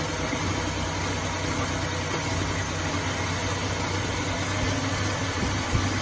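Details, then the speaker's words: 2005 Ford Taurus just after replacing the idle air control valve, about 70°F outside; low idle rumble rises and dips over several seconds, unsettled; owner thinks the new part needs time to register with the computer. "still fluctuating a little but I say give it a little time for that new sensor or that new car to they registered into the computer"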